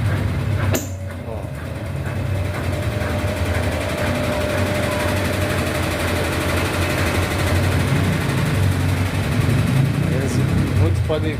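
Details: Brastemp BWH15 15 kg washing machine spinning empty: loud steady spin rumble with a loose, uneven knocking about four times a second, louder with clothes; not bearing, levelling or suspension but a hose slapping the cabinet.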